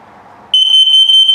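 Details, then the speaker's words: Carbon monoxide and LP gas detector self-test in a 2021 Keystone Bullet Premier 24RKPR travel trailer: shrill high-pitched beeping pulses rapidly for about a second over quiet room hiss, LP and CO alert pattern. "Now this will tell you if there's a carbon monoxide buildup, an LP leak, or if it beeps very slowly, it's telling you your battery's low. So let me put it through the self-test so you can hear all those alerts."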